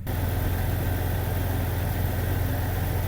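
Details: High-mileage Jeep Cherokee XJ in cold weather, just started after replacing oil pressure sensor for zero oil pressure reading: smooth, even low idle with steady beat, no knocking or ticking; healthy-sounding.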